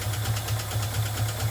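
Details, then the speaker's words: $400 truck after engine swap: low, lumpy idle pulsing about four times a second with uneven loping beats; rough idle from a vacuum leak, ran properly once the leak was fixed. "This thing runs like shit."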